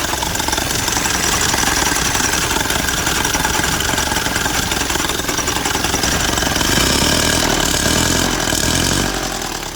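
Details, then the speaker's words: 1928 Durant, first start after reinstalling the engine and the clutch plate on the flywheel: steady idle with an uneven, loose clattering tick, about three to four knocks a second. Owner says he forgot to tighten the clutch down; cause not confirmed. "I need to tighten the clutch I forgot to tighten the clutch down there so I'll do that and then it'll be good to go"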